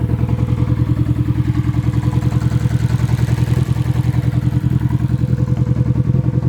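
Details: Nissan SR20 in a 240 on first start after engine install, open downpipe: loud, raw exhaust idle pulsing about three times a second with occasional uneven beats; engine misfire, cause unconfirmed.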